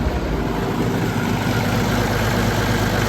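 Steady low diesel rumble with an even beat and no knocks or misses; the little engine is running smoothly.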